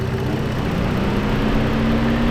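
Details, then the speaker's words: 2010 Dodge Journey with a no-cooling-fan complaint; engine warm with the thermostat open and the AC on. Steady low idle hum with an even fan whoosh building underneath. The cooling fan runs normally. "I think I did hear it run because I got the AC running so I think we're good actually"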